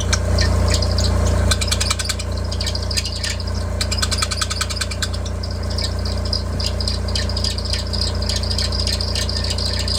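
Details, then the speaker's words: Engine idling at first start after a new serpentine belt tensioner with a holding rod was installed: loud, fast rattling chatter and chirp from the belt drive, caused by an installation mistake with the new tensioner. "If you've recently done some work to your car around the accessory system, around the serpentine belt system, and you install a new serpentine belt tensioner, and the first time you go to start your car and it sounds like this."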